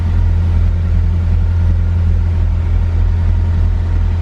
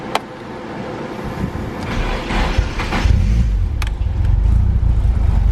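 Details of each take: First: Car with new speed density remap and injectors from the old motor, sensor moved to bank 1: deep even low rumble with no misses, surges or knocks; cold start idling smoothly while warming, normal idle. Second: Car newly remapped to speed density: the engine revs climb unevenly with hesitation. The MAP sensor reads only 1 volt, so the owner suspects wrong wiring or a bad sensor, and possibly a boost leak.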